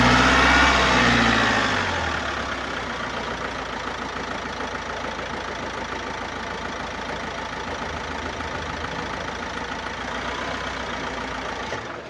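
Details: 2018 Opel Astra K 1.6 diesel (B16DTH, 81 kW/110 PS) with 128,814 km: it starts and settles into an even idle with a faint airy hiss over the clatter, caused by an intake system leak and defective swirl flaps.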